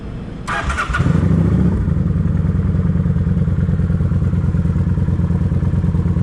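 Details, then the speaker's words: Kawasaki Vulcan 900 after cleaning the fuel tank and clearing a clogged fuel pump filter: engine catches and settles into steady even idle with no squeal or whine; normal running, squealing gone. "I don't hear no squealing sound so let's take it up the road see how it's gonna do still good and quiet"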